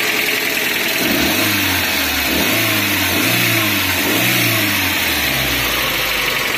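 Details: Suzuki APV (G15 engine) running after a sudden stall, being revved: engine climbs and falls through smooth revs over a hissy background, pulling evenly without misses or rattles; check engine light goes off, sounds normal.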